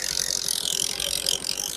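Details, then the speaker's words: Discover 125 after full engine rebuild, at idle: quiet, even running with only a light, quick ticking about sixteen per second and no heavy knock; slight tapping on throttle expected while new parts bed in, to be adjusted later. "और देखिए engine start है तो यहां पर इसका start होगा भी हमें पता नहीं लग रहा"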